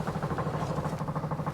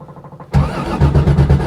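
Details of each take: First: Rapid, even ticking of about nine or ten beats a second with no engine running: the electric fuel pump priming normally on a Corvair-powered Baja Bug being readied for the road. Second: Corvair-powered Baja Bug, first start after six months sitting, cold weather: steady starter chugging for about five seconds that never catches; hard start, owner unsure if it needs choke; key must go fully off before retrying.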